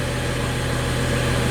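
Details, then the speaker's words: 2012 BMW 335i N55 just after a fuel tank vent valve replacement (code 315A), freshly started: a steady, even idle, slightly high from the cold start, no roughness. The car previously had an intermittent rough idle. "Alright, and it's kind of settled down to an idle. It's still lighting a little high because it just started, but at"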